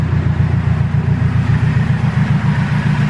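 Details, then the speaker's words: Turbo K24 Integra idling after exhaust leak repair, heard from under the car: even low burble about three to four pulses a second, no ticking or puffing; band clamps and manifold not leaking; normal idle. "so band clamps are not leaking at all and uh manifold is not leaking at all"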